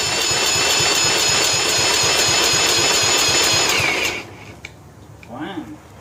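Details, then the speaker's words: 1995 John Deere STX38 cranked at half throttle with choke and ether: about four even beats a second for four seconds, never fires; spark and compression present, fouled spark plug suspected, not confirmed. "So we didn't run. Let me tell you, it's got compression. So, we probably got a fouled sparky plug."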